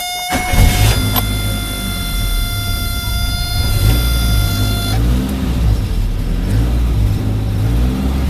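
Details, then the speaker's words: Suzuki Samurai SJ413 1300 after fitting a Toyota Corolla 3K-C 1.2L manual-choke carburetor, earlier flooding from debris in needle valve now cleared: horn early, engine pulls with steady even drone, no stumble or misfire; normal acceleration. "Okay, so it's been running good now."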